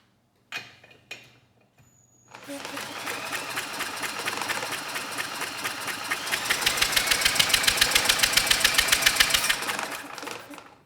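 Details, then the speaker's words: Troy-Bilt Storm 10030 snowblower, Tecumseh HMSK105 engine, long neglected: engine spun fast by a drill with even compression puffs but never fires, no spark seen; bad ignition coil suspected, coil ground to engine still to check. "and still we get nothing so I would say we do have a bad coil here"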